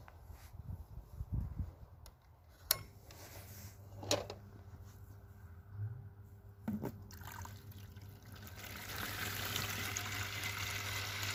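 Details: A Malyutka ("Малыш") vibration pump in a well, about three years in use, had hummed without pumping. After its rusted casing was opened, check valve cleaned and pump reassembled, a steady low mains hum comes with trickling, gushing water: it pumps normally again.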